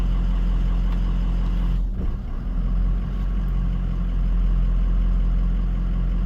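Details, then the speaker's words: 2004 Ford F250 6.0 Powerstroke diesel at idle, injection pressure regulator commanded via bi-directional OBD scanner: steady idle dips and roughens briefly about two seconds in, then settles evenly; normal audible response to the command. "Injector pressure regulator. It automatically changed. You can hear the difference in sound."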